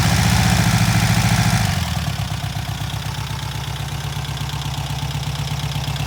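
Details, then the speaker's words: Freshly rebuilt and machined VW Type 1 flat-four from a Karmann Ghia, first start after the build: even, steady beat settling into a smooth idle after a brief higher-speed burst, no knocks or misses; running healthy. "dude good job man did it dude that sounds so [Music] good we got it running boys"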